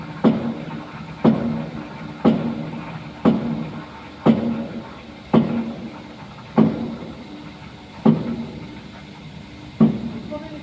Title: Loco wheel rotation abnormal sound